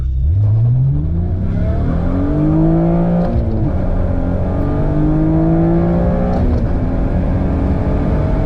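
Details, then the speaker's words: Acura TL after supercharger removal, now all motor, on a full-throttle launch with good air-fuel ratios: revs climb hard through the gears with a clean rising tone and a sharper note at the VTEC crossover; normal acceleration. "Okay, well, I'm really happy with how it runs as an all motor. It's still really quick, gets up to speed good, and it sounds really cool with that VTEC crossover, so awesome."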